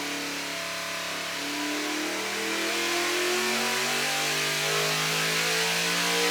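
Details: Naturally aspirated LS3 stroked to 416 with GPI MAX 2.0 heads and cam, on carburetor, engine dyno, break-in oil: loud even roar climbing smoothly to about 7,000 rpm peak, near 740 hp, no misses or knocks; healthy.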